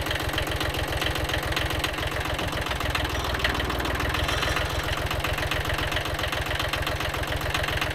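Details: Kubota B7100 tractor after replacing chipped gearbox gears and worn bearings: regular, even diesel chug at idle with no whine or grinding from the drivetrain, all gears mesh; normal running.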